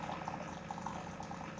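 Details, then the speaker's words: Older Keurig coffee maker, descaled with vinegar but not rinsed properly, brewing much slower than a newer one: quiet gurgling and bubbling with a faint pump hum, as if struggling to pump water; owner unsure whether it is heating or pumping. "that's why i was looking for a new coffee maker because it just sits there and pumps water it's either pumping or heating it sounds like it's trying to pump water"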